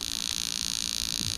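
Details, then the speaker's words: Bench test of newly built Lexus LS400 92-94 LHD engine harness, injectors fired one by one: rapid evenly spaced ticking about forty clicks a second, no engine noise; all eight injectors working fine. "bring the camera in close again okay so all eight injectors working just fine"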